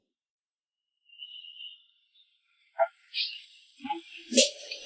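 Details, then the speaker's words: New-energy car charging from a charging pile: thin high-pitched steady whine with intermittent cricket-like chirps, audible in the charging cabinet; neutral-ground voltage fluctuates with the sound and leakage current is about 4 mA. Cause unknown, grid or car. "现在也吱吱的响，也行。那个像蛐蛐叫的那个声音，在这个电箱里边都能听到。"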